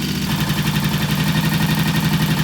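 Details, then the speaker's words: Vintage British T20M single on its replacement ignition, idling about 15 minutes with a fan cooling it after pilot jet, mixture and idle adjustment: even, quick thump holding steady without stumbling or hunting; normal idle. "Well, it's been idling for about 15 minutes. We've been messing with the pilot jet adjustment, the fuel mixture, and the idle, and it's a pretty good little idle there."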